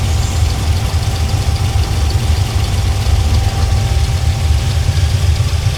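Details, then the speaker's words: El Camino V8 project with 480 transmission during tuning, after setting timing and raising to about 3,000 rpm: deep loping idle, uneven and sagging as if about to die; suspected running out of fuel, fuel pressure not working, vacuum leak to check. "Yeah, that's what it's acting like is it's running out of fuel. Just like that."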